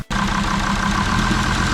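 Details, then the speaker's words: Jeep Grand Cherokee WJ 2.7 CRD (OM612) diesel that smokes a lot, idling: rough idle with steady hard knocking rattle and misfiring; diesel knock, cause unconfirmed. "then a lot of misfiring and a lot of knocking noises but still R very okay"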